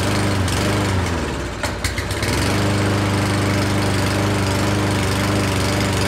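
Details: Certified self-propelled push mower that sat over a year, running on starting fluid sprayed into the carb throat: it stumbles and nearly dies, then chugs on with an uneven beat; clogged carburetor main jet.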